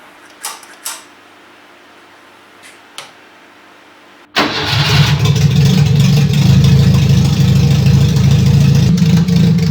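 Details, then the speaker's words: Fiat 147 gearbox after refilling with 80W90 oil (just under a litre) and reassembling the front end and driveshafts: engine settles into a steady, even run with no whine or grinding; the earlier gearbox noise is gone, normal running. "definitivamente o barulho que fez, era assim que a caixa estava, então agora que já está cheia de óleo, o som foi suprimido."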